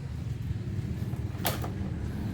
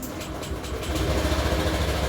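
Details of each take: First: 2015 Honda Beat injection scooter, after crankshaft and bottom-end rebuild following damage from running with dried-up oil: settles into an even, low, much smoother idle with no knocking or strange noises; normal idle. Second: 2015 Honda Beat injection scooter, rough engine sound after running low on oil: gravelly idle rumble with coarse grinding; worn crankshaft bearing confirmed on teardown, showing signs of dried-out oil, connecting rod also checked.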